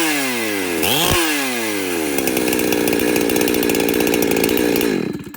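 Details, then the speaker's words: Chainsaw with the high-speed screw turned one turn in from rich: revs climb to a high, even scream with the four-stroking rattle at wide open throttle moving higher up; running leaner, close to tune. "you can hear how that rattling sound at the top of at wide open throttle moved higher up. It sounds leaner now."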